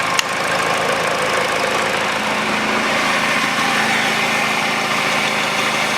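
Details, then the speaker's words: Peugeot 408 2012, 1.6 petrol, automatic, 87,000 km: after replacing the stretched drive belt (DAYCO 6PK900), a steady, even idle with no knocking or slapping from the belt side, and the tensioner no longer shaking as before. "ничего не болтается ничего не исключит и натяжитель его не колбасит как его колбасило"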